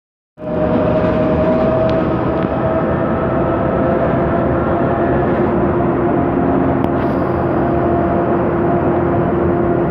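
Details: 2009 MAN Lion's Classic CNG city bus, MAN E2876 LUH03 EEV engine, ZF Ecomat 6HP504C 6-speed automatic, while driving: a clear whine over the drive roar that drops lower and continues, from a noisy rear differential.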